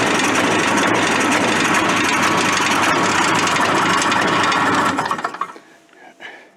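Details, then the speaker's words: Suzuki Fury two-stroke snowmobile: runs rough and crackling for five seconds, then cuts out; kill-switch wire barely touching metal arcs and intermittently grounds the ignition, fully touching kills it. "I was getting some shocks there that thing starts throwing the arcs and all of a sudden it starts running if you touch it completely it shuts it off completely"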